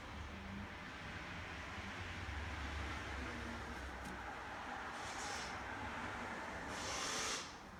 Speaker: That's the pump working. There's no water in it. This is just a quick test. It's just on a drain at the moment.